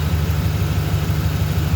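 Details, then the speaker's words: 2008 Ford truck, 4.6 L V8, idling after owner's fix of a month of shaking idle and air conditioning cutting out: deep, even idle, steady low rumble, no stumbles or shaking; firing cleanly on all cylinders. "It's not shaking and all that kind of stuff. Well, that's what it was doing for a little over a month."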